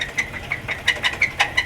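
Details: Hemi Ram truck: sharp, crisp tick about five or six times a second with clacking and screeching, seeming to come from one bank; suspected cam not getting oil because oil passages weren't cleared after cam work, unconfirmed.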